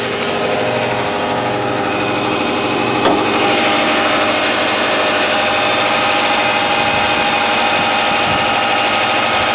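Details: 2008 Subaru Impreza Outback Sport, 52k+ miles, cold start: engine catches and settles into a busy idle with uneven chatter about three times a second; odd noise, cause unclear, otherwise runs fine.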